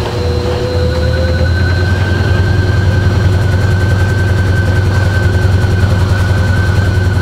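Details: GE washing machine drive motor: steady low drone with a repetitive knock about two to three per second; gearbox replaced first without effect, fault was the motor, with internal speed-control actuator whose hard plastic pieces had broken.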